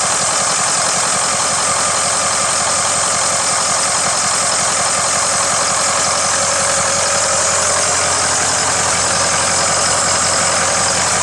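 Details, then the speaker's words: Ford 6.0 diesel after the second stage of turbo cleaning: steady idle with an even clatter at about four beats a second and a slightly noisy serpentine belt hiss; otherwise sounds good, normal idle. "all right other than a uh say the serpentine belt's a little noisy but other than that sounds good"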